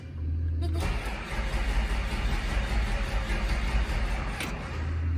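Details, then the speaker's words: Walker 44 sprayer diesel after rebuilt hydrostat installed, fuel solenoid disconnected to crank without starting and build charge-pump pressure, possible ground issue: starter turns engine slowly and steadily for several seconds, no firing. "Crank it over without it starting. Slow, so that way until I get pressure out there in that's my charge pump."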